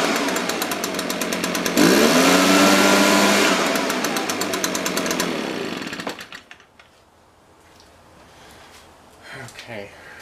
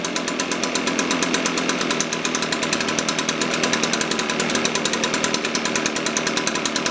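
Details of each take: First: Echo PB-580T leaf blower after carburetor low-speed mixture adjustment, previously rich and smoking: revs up cleanly, holds steady buzz without stumbling, then shut off; healthy. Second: Echo PB-580T leaf blower, older fuel, cold start, reported to bog on throttle, vacuum leak suspected: fast even two-stroke popping at a slightly lazy idle with a sharp rasp; runs but idle sits low, needs carburetor tune-up.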